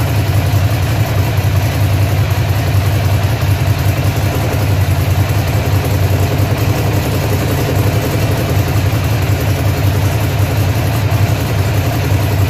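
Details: Ducati Monster (696/795/796/1100) V-twin idles deep, uneven and lumpy, the beat stumbling instead of running smooth; engine misfire at idle, cause not yet found.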